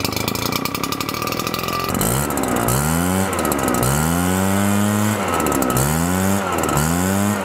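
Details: Husqvarna two-stroke leaf blower, long unused, first start after retrofitting a smaller fuel tank in place of a backordered part: it catches and revs up and down cleanly with the throttle; it runs and responds properly.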